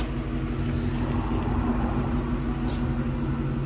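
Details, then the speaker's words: 2004 Ford Mustang GT that sat about six weeks as a crank-no-start, spark present and fuel pump already replaced: with the key on, a steady low electric hum at one even pitch, no surging or grinding; normal fuel pump priming. "yeah oh yeah you can definitely hear it yeah you can hear the fuel pump wild"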